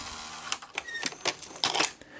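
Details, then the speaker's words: Sony SL-S600 Super Beta VCR after a capacitor replacement: light clicks and whirring gear sounds as the tape threads, with nothing catching or jamming. The cassette is loading normally. "like it's supposed to so that it is loading now"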